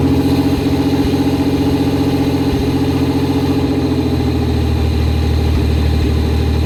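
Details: Barn-find Fiero first start after teardown, cold-start injector leak stopped with doubled O-rings: engine fires and idles lumpy with a wavering beat and uneven loping instead of a steady hum; running rough, cause not confirmed.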